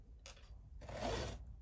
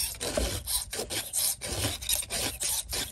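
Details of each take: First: Chainsaw raker filed straight across (perpendicular) at the wrong angle: two rasping file strokes with a faint squeak, squeaking on either side of the raker. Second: Chainsaw raker (depth gauge) filing with the file turned at an angle rather than straight across: steady rasping strokes, about two a second, smooth and even with no squeak.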